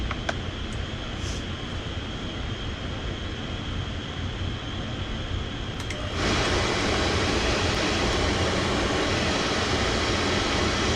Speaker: Yeah, still running. I'm just going to verify that it's nice and clear.